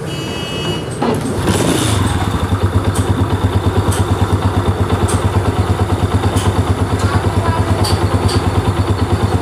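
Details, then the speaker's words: Honda CG125 motorcycle after head/top-end repair: crisp, even single-cylinder thump about three beats a second, no rattle or knock, idling cleanly at low speed; earlier engine noise fixed. "बिल्कुल बेहतरीन बन चुकी है mic slow में भी अच्छा रुक रहा है और साउंड काफी बेहतरीन है"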